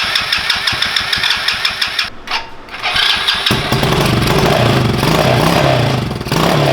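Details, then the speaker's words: Coleman CT200U mini bike with swapped-in 110cc ATV engine, stored a long time, run off a rigged battery: cranks, catches, then runs lumpy and uneven. Rough running after long storage, leftover oil on the piston. "I'm sure it's going to run rough for a little while. This thing is set for a long time."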